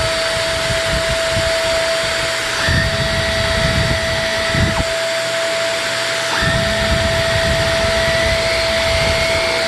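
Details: Shark NV22 upright vacuum power nozzle just after brushroll bearing replacement and new wheels: steady motor whine at an even pitch with brief low pickup rumbles. Brushroll spins smoothly without rattle or grind; motor bearings noted as due for redoing eventually.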